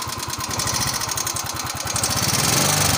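Small scooter engine with a fast, crisp tick of about three or four per second riding over the idle, typical of valve ticking.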